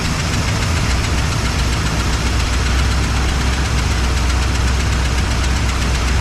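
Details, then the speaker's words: 1961 Cadillac idling after carb adjustments: steady low idle with an uneven thumping beat and rough, lumpy note; owner says it sounds like it's missing, cause unknown, possibly old belts. "like to know what that noise is too I don't know what it is sounds like it's missing"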